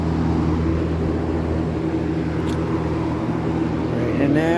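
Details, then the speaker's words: Vintage late-1970s Kmart/Lakewood K-223 20-inch box fan with McMillan motor, started on high with the mic at the rear by the motor; smooth rising hum and whir, no rubbing or rattle; normal startup, good bearings. "so I'm going to start it up on high and it has a really really cool startup sound so hopefully you can hear that"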